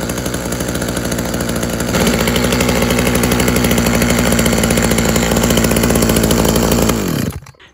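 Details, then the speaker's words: Tanaka THT210s two-stroke hedge trimmer, a former non-starter, cold-started on choke after piston check and carb refurb with new diaphragm: catches, buzzes steadily, then revs cleanly and evenly before shutting off; fixed and running smooth. "we go it's fixed it runs nice it revs out nice quite a nice hedge trim yeah a nice hedge trimmer that is"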